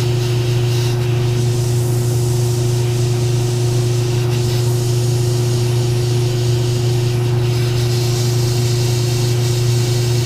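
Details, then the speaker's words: Airbrush spraying skin paint after thinning a too-rich mix with thinner: smooth even hiss over steady compressor hum, no more sputtering or spattering. "it's not I'm not hearing that noise where it's sputtering and splattering here that's spring a little lot more"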